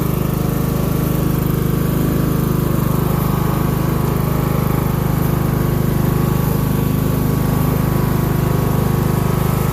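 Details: Craftsman LT1000 riding mower being built into a mud mower, run until out of gas: steady low thudding exhaust beat that never climbs; engine likely running around 2000–2500 rpm instead of its roughly 3500 rated speed, cause unconfirmed; not smoking, just oil and probably water burning off.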